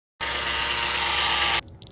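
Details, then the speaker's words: 2014 Ford Escape bought at auction: a loud, steady, hissy, mostly high-pitched rattle from the engine bay lasting about a second and a half; unidentified engine bay noise, source still unknown. "Yeah, that noise is coming from my 2014 Ford Escape."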